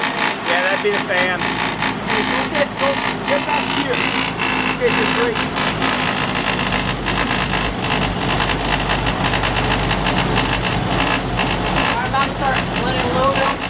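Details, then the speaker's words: 1972 Opel GT with 32,000 miles, stored for decades and barely driven since 1975, first start: it settles into a steady, even idle under its own power, while the fan may be hitting the shroud; normal idle. "all right it's idling right now no one's under its own power wow that's impressive"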